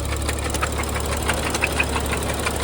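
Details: BMW 135i with N55 engine at idle: sharp, steady ticking knock about three times a second; owner unsure whether rod knock or lifters and suspects it may need an engine; cause unconfirmed.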